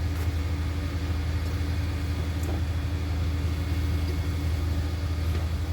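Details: Dixie Chopper 60-inch zero-turn mower with electric PTO, firing on one cylinder: engaging the blades makes the engine labor and bog, with blades not reaching speed. The owner suspects a broken throttle cable leaving it at low throttle.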